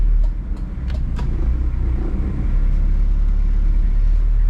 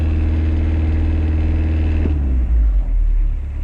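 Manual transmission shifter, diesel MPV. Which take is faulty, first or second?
second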